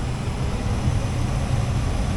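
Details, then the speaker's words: Furnace blower after replacing only the blower wheel with a newer superseding part, which had rattled before: smooth, steady low whoosh and hum with no rattle or ticking. The motor was judged smooth and left as is. "Here we go, blower. No noise."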